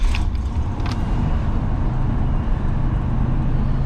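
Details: 1990 Fleetwood Bounder Class A motorhome, 78,712 miles, just started: steady deep low rumble with an even, unbroken rhythm and no knocks or misses; big engine idling smoothly, normal idle.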